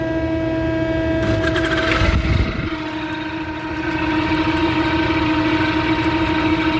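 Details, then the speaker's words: Exhaust fan motor restarted after resetting tripped motor starter: comes up to speed with steady metallic ringing whine over hum; draws within its 3.4 A rating but has a weird sound, suggesting worn motor bearing. "interesting so it's running it doesn't sound good though we're going to amp it out and see what happens"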